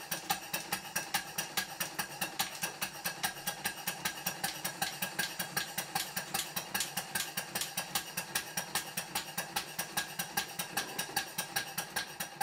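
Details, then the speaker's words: Small showman's steam engine model run on compressed air after fitting a new flywheel centre fitting, parts lubricated: crisp even clicks about 2.5 per second from the mechanical lubricator ratchet over a soft run; normal. "I'd better mention that the click you can hear is the ratchet of the mechanical lubricator"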